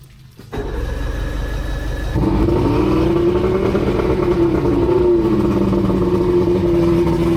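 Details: Outboard first start after new head gaskets (prior overheat, water weeping from heads, hard starting), on water hookup: catches after short crank, settles into steady run with slowly wavering pitch, no knocking; leak noted around water pipe.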